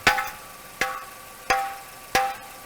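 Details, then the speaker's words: Catalytic converter tap test with soft hammer, exhaust checked leak-free: four taps each ringing with a tinny metallic buzz instead of a dull thud; rattling metallic sound suggests an abnormal converter, not confirmed. "Abnormal noises can include rattling and metallic sounds."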